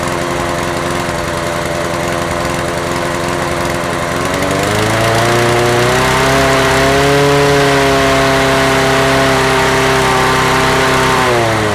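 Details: Honda HR17 mower engine with automatic choke running smooth and even, pitch climbing cleanly as throttle opens fully and holding steady; runs fine after no-start on return to service, though fuel leak suggests a failed carburettor bowl gasket.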